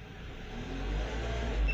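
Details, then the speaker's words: Renault Duster with newly installed LPG and cabin switch button, running on petrol: revs smoothly with a steady low drone and no misfire; engine evens out and runs fine on petrol. "Вот он бензин, раз он выровнялся, поправил. Тут все хорошо."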